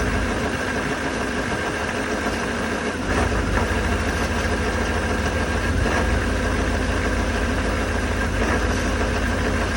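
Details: 2019 Duramax diesel pickup, cold start at 15 below zero, idles with a deep, slightly uneven lumpy beat and a step up in loudness; has idled rough since new, cause not identified.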